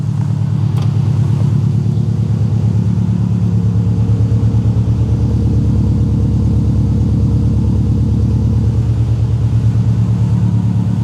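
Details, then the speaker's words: Subaru WRX bought cheaply as a non-runner, radiator found empty with cap missing, no knock on first start: low, even burble at steady idle with no knock or miss, no smoke, no radiator bubbles; idling normally. "So, it's idling on its own. We've got no smoke coming out of it."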